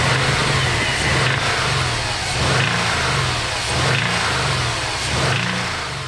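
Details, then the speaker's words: Subaru WRX engine with deep, heavy knocking thuds that grow harder as revs rise and fall: actual rod knock from a spun bearing. The engine is to be removed and rebuilt. "So there we have it, broad knock."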